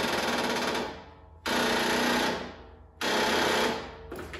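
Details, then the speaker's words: Husqvarna Z254F zero-turn mower, 33.5 hours, jumper pack failed to start it: key turned gives repeated dull clatters about every 1.5 seconds, no cranking; weak/dead battery chattering the solenoid. "he told me that he put his jumper pack on it and it wouldn't start and I said did you have a battery charger and he says no I don't have battery charger but I have a jumper pack so this is what it sounds like when you turn the key"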